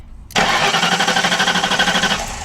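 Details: Flooded 1992 Ford Crown Victoria, 11,000 miles: steady starter cranking at about eight turns a second for over two seconds, never catching; cranks but won't start after wiring near the cruise control module and distributor connector was disturbed.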